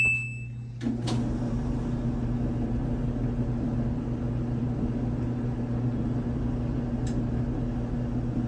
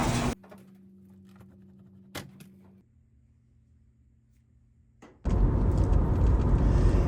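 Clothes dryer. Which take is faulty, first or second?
second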